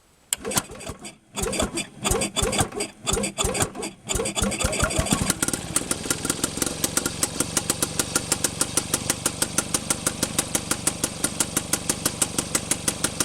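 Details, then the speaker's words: Penguin two-stroke engine test-run after teardown, muffler holding some debris: uneven cranking and catching, then a crisp, regular popping idle at a steady beat. It runs in forward and then reverse, with the ignition timing judged close. "okay so it sounds like it wants to run and that was forward so we'll flip our switch to reverse and try that sounds like our ignition timing is close for"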